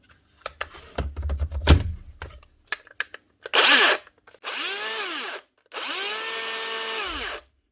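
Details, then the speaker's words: Makita DGA467 cordless grinder (2017) under repair, free-running spin-ups: coarse, uneven whirr with a rubbing edge. It runs but feels rough; the cause proved to be a failed worn bearing. "she works but she doesn't sound good and she doesn't feel good there right she robbing and Sid we've seen this before more than likely I would say it's going to be the stter or the rotor rbin on the [Applause] stter or a bad bearing"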